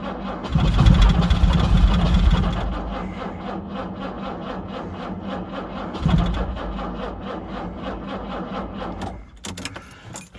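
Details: 1968 Jaguar E-type Series 1½ convertible, sat about two years, choke used, battery suspect after flattening: sluggish, uneven cranking around 3.5 turns per second that fades and slows, never catching; a better or second battery is to be connected.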